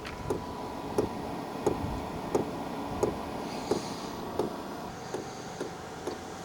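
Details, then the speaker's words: HCALORY Toolbox diesel heater, first start: soft, even clicks about one and a half per second as the fuel dosing pump primes, later quickening; normal priming. "Obviously it needs to probably prime the pump and do a bunch of other stuff. And then we'll see if it spurts out hot air and smoky exhaust. So I can hear the pump going right now."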